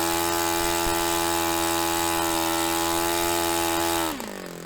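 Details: Restored Saito FA-45 Special four-stroke on a test stand, 10% nitro fuel, warmed up. A clean, steady high buzz holds at full throttle near 10,260–10,300 rpm, against a manual peak of about 10,300, then drops smoothly to idle. Normal run; top end richened slightly after.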